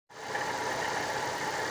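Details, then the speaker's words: 2013 Chevrolet Celta VHCE engine at idle, owner complained of roaring noise. Constant hollow roar over the idle, no knock or tick; tensioner recently replaced, so mechanic suspects the water pump rather than accessory belt pulleys. "isso pode ser ocasionado por várias coisas desde o tensor a bomba d'água como também as polias da correia auxiliar né correia do alternador"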